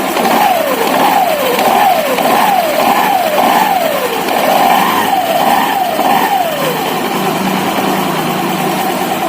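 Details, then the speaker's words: Honda Vario 150 FI scooter after removing and servicing the front and rear CVT pulleys: engine blipped repeatedly with clean rise and fall and a smooth even CVT whir; the earlier rough CVT noise is gone. "Awalnya terdengar kasar , tapi sekarang sudah halus."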